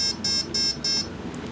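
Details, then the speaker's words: Turnigy AE-30A brushless ESC in programming mode; four short high beeps about a third of a second apart signal programming item four, play mode. "four four beeps means you're in your four fourth mode"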